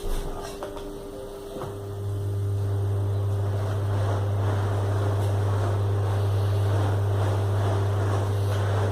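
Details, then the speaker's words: Split air-conditioner blower wheel after balancing on a test stand, at maximum speed: smooth, even hum with no wobble or thumping; previously noisy and shaking; normal running. "perfecto Así que ahí quedó bien balanceada no se mueve la mesa está perfecta Ahí está en máximas revoluciones y ahí quedó perfecto"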